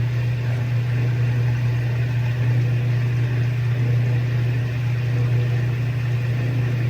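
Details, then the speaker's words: GE Filter-Flo SpotScrubber washing machine on spin: steady low motor hum while the drum barely turns. The pump drains fine, but the worn clutch, with clutch dust on the drum, is slipping and needs replacing. "It just doesn't have that clutch is just slipping. You can hear it down there. That's the sound of that clutch. You can see that drum is just barely spinning."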